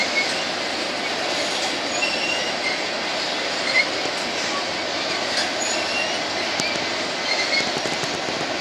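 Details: BNSF empty grain train at sunset, headed to North Dakota for reload, led by two GE locomotives: high wavering squeals ride irregularly over the rolling rumble of passing cars; some wheels squealing on the rail.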